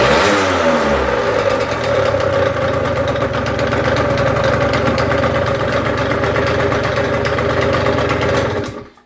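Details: Engine idling and blipping with a dense, uneven metallic rattle that persists through the revs: engine rattle at idle and revving, source unclear.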